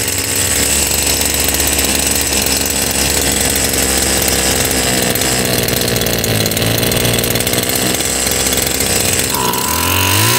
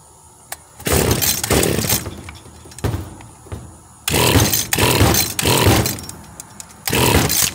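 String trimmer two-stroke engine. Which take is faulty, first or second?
second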